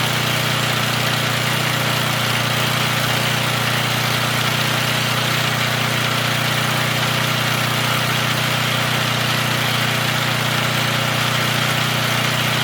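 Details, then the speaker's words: Free small engine from a marketplace/garbage haul, run without checking oil and smoking heavily: fast busy idle with slightly uneven patter and harsh rattle; runs rough, owner thinks it needs oil. "Probably should have checked the oil. Sounds like it needs a little oil. But it runs."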